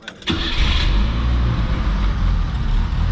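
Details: 1984 Chevrolet Chevette 1.6 L four-cylinder, auction car with new battery, front-end collision damage: short crank, catches at once and settles into steady, even idle without misses or knocks. Normal start; fires right up, runs very well.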